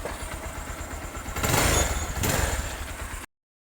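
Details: Bajaj Pulsar 220 motorcycle engine idling with an even low thump and a brief louder rise midway, no timing chain rattle; normal idle.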